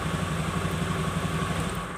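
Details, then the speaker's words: Honda Beat carburetor scooter whose electric starter clicked repeatedly (weak relay in CDI), after fix: starts instantly on key-on plus brake and starter, steady even idle with light regular putter, no clicking or rattle. "oke jadi motor langsung hidup Guys kita coba sekali lagi kunci kontak on pencet tekan remnya langsung hidup"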